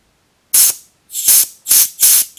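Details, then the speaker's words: 1995 Honda Civic hatchback AC install, refrigerant can tapped and Schrader valve poked to purge the charging line: four short sharp hisses, about a quarter second each, as air bleeds out; normal purge before charging. "and Purge that air out of the line so now this thing is ready to go"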